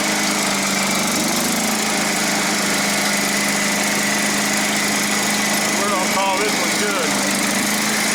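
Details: John Deere STX38 riding mower after replacing broken drive belt and tensioning spring in notch: steady, even engine drone, constant pitch, no belt slapping or squeal. Normal running after repair.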